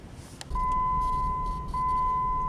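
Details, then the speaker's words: Third-generation Jeep Grand Cherokee while driving: steady high electronic chime that briefly breaks and restarts with no real pause, the seatbelt reminder sounding almost constantly whenever the vehicle is moving. "one annoying quirk about this particular generation Grand Cherokee is the belt reminder goes off almost constantly when this vehicle is in motion it gives you no breaks in between"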